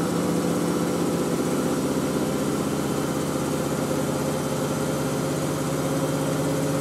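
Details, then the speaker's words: Miele W562 Prestige Plus 6 washing machine, Cottons 95°C boilwash with sheets and towels: even high-speed drum rush and steady hum, no knocking or scraping; normal final spin. "I think the end spins at 1,000. That's what I'm missing. Some of the spins hit 1,000, some hit 900."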